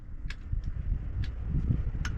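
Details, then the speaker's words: 1976 Dodge W200 Power Wagon, 318, 4-speed, 4WD, after a new key and a broken ignition; sharp irregular clicks, engine won't crank; battery suspected, jump pack didn't help, a starter is likely needed. "Maybe the battery might be dead. I might have it disconnected, but it was clicking. Yeah, you can click. Couldn't figure out why it wasn't wanting to start or even kick over."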